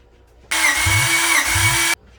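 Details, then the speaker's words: Honda Civic B16 freshly rebuilt and reinstalled, cranking during compression test: even, fast cranking with no knocks or scraping, engine turns freely; readings about 155–175 across cylinders. "It sounds like it's cranking well. Nothing sounds like it's interfering or not moving smoothly."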